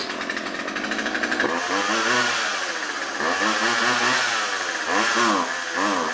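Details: Old Craftsman chainsaw, 2.2 cu in, 16in bar, unused about two years, after fixing fuel lines (had only run tilted right): fast idle, then revs and bogs in swells while cutting, pulls cleanly without stalling; problem seems solved.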